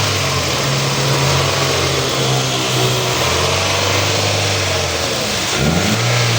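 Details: Toyota XLI engine revving smoothly and evenly, rising cleanly with a rev near the end, with no ticking, puffing or rattle. The car's loud engine sound was traced to a faulty manifold, which was replaced. This is normal, healthy revving.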